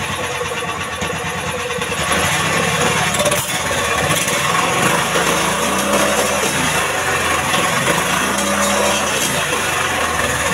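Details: Indo Jarwo Crown rice transplanter engine, previously hard to start, after carburetor fuel mixture adjustment: settles into steady even running with clean revving, no stumbling or misfire; normal running.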